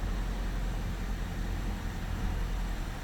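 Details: 2024 Toyota RAV4 Hybrid with its petrol engine held running non-stop in maintenance mode: a low, smooth, continuous idle rumble at steady speed with no knocks or hunting. Normal idle.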